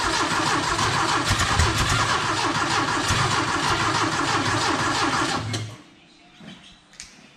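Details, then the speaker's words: Green Porsche 914 with a newly installed 2-liter motor, first start attempts: steady starter cranking with no catch, won't fire on the first go. Distributor still to be adjusted; cause unconfirmed. "not having it not not on the first go like we were hoping huh"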